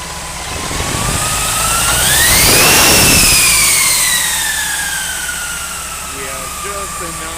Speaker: We don't advocate this all the time, but we got what seems to be a massive turbo wine.